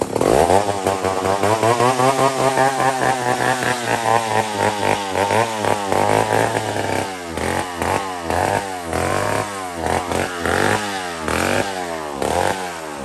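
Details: Old McCulloch 1-71 chainsaw after a major carb upgrade: carb rebuilt with jets from another carburetor, leaking gas line zip-tied, intake leak fixed with a double gasket. High, buzzy two-stroke note revving up and dropping back cleanly, repeatedly, no stumbling. Normal running.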